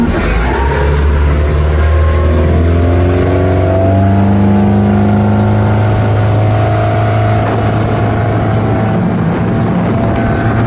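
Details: Bayliner 175 Bowrider MerCruiser engine after fixing timing with new ignition control module, accelerating on the lake: smooth, steady rising drone under load; earlier pinging/detonation gone, no rattle.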